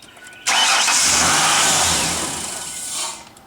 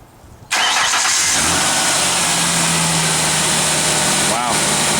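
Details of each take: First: 1999 Ford Ranger XLT 4.0L, about 111,000 miles, check engine light on, about 65°F, same warm or cold: catches with a burst, then revs sag and waver, sometimes sputtering or dying; rough start and unstable idle from faulty idle air control valve. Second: 1999 Ford Ranger XLT 4.0L, about 111,000 miles, after idle air control valve replacement: engine catches instantly on cranking and settles into a smooth, even idle with no stumble or hunting; normal start and idle.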